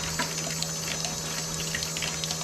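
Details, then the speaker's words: Porsche 928, electric fuel pump draining old nasty fuel through disconnected line into bucket: steady high whirring hum with liquid gurgle, pump speeding up slightly; normal fuel pump operation. "getting the rest of that fuel out of there and you can hear the pump speeding up a little bit"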